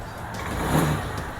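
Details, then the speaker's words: Honda Zoomer-X scooter idles steadily and takes a brief, clean throttle blip without stumbling, after fuel pump replacement; before, it started hard and stalled when the throttle was opened. "ผ่อนคันเร่งเดินเบาสิใช้ได้แล้วนะครับเดินเบาดีนะ"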